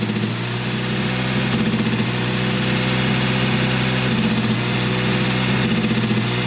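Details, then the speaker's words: Honda Civic EF with K24 swap on standalone ECU, hot engine idling and revving: uneven, stumbling beat; misfire suspected from a dead coil-on-plug coil, later confirmed, coil to be replaced. "Kayaknya koilnya bener ada yang mati."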